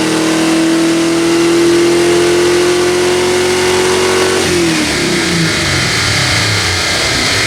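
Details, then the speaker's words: 1979 AMC Spirit AMX, budget-rebuilt factory 304 V8, Brawler carb, T5 5-speed, on DynoJet with air cleaner removed, full-throttle pull: strong even V8 roar climbing smoothly, clean drop off throttle, no knocks; about 210 hp, 269 lb-ft. "I think does sound really good it sounds really good we just picked up five horse by taking off the air cleaner"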